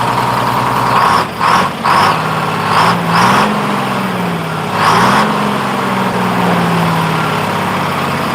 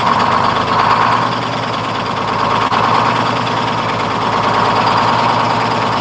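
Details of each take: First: 1948 GMC Silversides Greyhound bus, freshly in-frame rebuilt Detroit 6-71 two-stroke diesel. Blips up and pitch hangs high, drifting down slowly instead of dropping back; idle hanging up, owner to readjust governor buffer screw, unsure why it changed. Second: 1948 GMC Silversides PD3751 Greyhound bus, 6-71 two-stroke diesel after in-frame rebuild, first start: loud, busy chatter that stays even and picks up crisply with throttle; good response, normal idle and revving.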